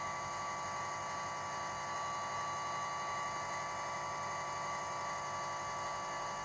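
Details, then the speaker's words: Runxin F65P3 volume-controlled water softener valve just plugged in, running its automatic flush cycle for about 20–30 seconds before the settings screen: a small drive motor hums at a steady pitch with no grinding or stalling; normal motor operation. "then it's starting to automatic flush as you can hear the motor is running once this cycle is stopped it's going to go to the settings screen"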